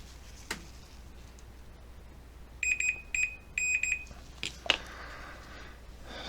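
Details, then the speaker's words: Four sharp high continuity-tester beeps as the formerly frozen, bent power switch of a 1938 Montgomery Ward Airline 62-365 Teledial tube radio is worked; switch now closes cleanly. "no sound that means there is no connection now because of Ed that hammock call watch here now it's working you see that"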